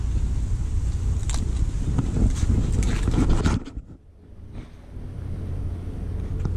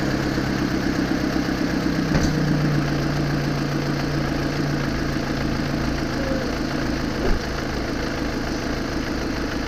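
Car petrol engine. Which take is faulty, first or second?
first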